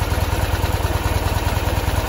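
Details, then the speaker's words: 1973 Ural M66, 948 km, 6-volt contact-breaker ignition, twin exhaust pipes. Soft, even low thumping of about ten pulses a second with no knocks, rattles or gearbox noise. Normal quiet idle. "начнем заводим м 66 что-то вот он звучок в принципе не слышно ничего"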